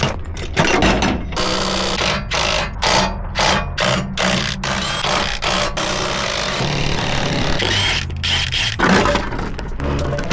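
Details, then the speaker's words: Volvo XC90 2.5 front-wheel-drive donor half shaft worked by hand: gritty scraping clunk each stroke about twice a second, no play felt; CV joint grinding when articulated, joint judged worn out. "Dude, I think this I think this half shaft is cooked. Look at this one. There is no play in this in I mean, yeah, there's just no way it's supposed to be making that noise."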